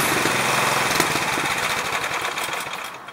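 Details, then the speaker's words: Craftsman 179cc 22-inch snowblower (PowerMore engine) after Seafoam: steady, fast small-engine patter with no surging or stumbling, fading slightly; the engine idles smoothly. "This thing actually purrs like a kitten. I know. At idle."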